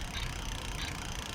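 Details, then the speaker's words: Lectric XP e-bike lifted off the ground, pedalled with wheel spinning: light hissing scrape swelling about every two-thirds of a second per wheel turn; rear disc rubbing on the inside of the caliper, fixed by adjusting caliper screw with Allen wrench. "let's see if i could pedal this lights up here oh yeah so you could hear it and that's rubbing on the inside oh yeah"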